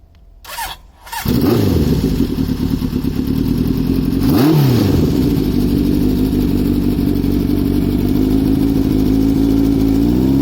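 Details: Honda CB900F 16-valve four-cylinder motorcycle (1979–83 model): the starter catches, then a smooth, even idle with one clean throttle blip rising and falling; a healthy engine.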